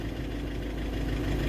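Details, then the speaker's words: Volkswagen Vento diesel at idle: loud harsh injector knocking clatter over a low rumble, worse with AC on, before injector work; fault code 2797, then injector learning/adaptation is done to reduce the knock. "Engine the sound ਤੁਸੀਂ ਸੁਣ ਸਕਦੇ ਹੋ ਵੀ ਬਹੁਤ ਜਿਆਦਾ sound ਹ ਤੇ ਹੁਣ ਅਸੀਂ ਇੰਜੈਕਟਰਾਂ ਦੀ ਕਰਾਂਗੇ ਜੀ ਨੋਕਿੰਗ ਖਤਮ"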